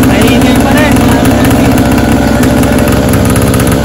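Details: 49cc ATV during restoration, still noisy: small engine running steady with a loud, raspy exhaust drone far louder than a healthy muffled quad; owner wonders whether the muffler needs replacing.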